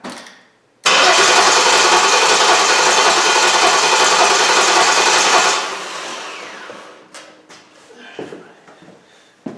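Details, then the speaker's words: Jeep Liberty 3.7 that starts only occasionally, runs rough with mechanical noise and stalls: about four seconds of cranking with a hollow popping. Suspected intake valve opening and releasing compression; not confirmed. "that intake valve is opening and all of that compression is released back into the ending you know that's probably why we're getting that you pop and selling that we hear when we crank it"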